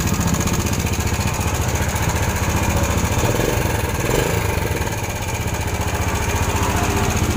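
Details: Yamaha Jupiter Z single-cylinder motorcycle at idle, busy fast metallic rattle riding over the engine beat from a slack timing (cam) chain; loose timing chain rattle, chain needs replacing.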